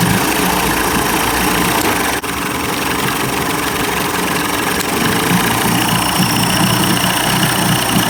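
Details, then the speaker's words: 1990s 30 hp Evinrude outboard after carburetor rebuild: steady, even idle with busy but consistent exhaust note, no stumbling or surging, running better, though fuel leaks from the carburetor gasket, which needs replacing. "I didn't notice that before I didn't see it leak in there because he's definitely running better"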